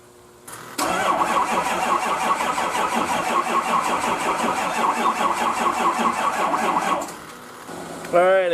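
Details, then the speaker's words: Turbo truck unrun since November 2016, after a hot no-start repair, with a battery charger on and tied to the other battery: starter drags in a slow, uneven, laboring whirr for about six seconds without catching; weak batteries suspected, not confirmed. "all right I got the battery charger on it and I got it tied into the other battery on start so hopefully we can get it going"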